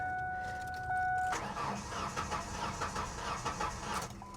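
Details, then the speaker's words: Ford F-150 at an Oklahoma City auction, listed as a non-runner, sat a long time with corrosion and a fuel gauge pegged over full, on a jump pack: about three seconds of steady cranking that never fires, and no fuel pump heard. Cause unconfirmed. "it's a that is a no-go do I hear a fuel pump surely not no ah come on man it is listed as a non-runner so I didn't expect it to run"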